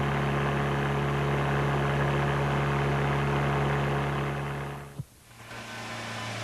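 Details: Demonstration tone of about 120 Hz, a steady deep hum like engine booming (low-frequency drone), similar in frequency to a cooling fan motor.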